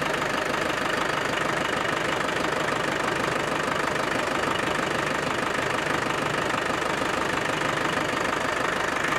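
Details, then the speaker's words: Land Rover Defender 110 300TDI diesel idling after boost line and wastegate hose replacement: steady even clatter, constant rhythm, no misses or surging; owner thinks the turbo is now audible where it wasn't before; normal idle. "It definitely sounds a little different. I think I can hear the turbo, the turbine, which I didn't hear the turbine before."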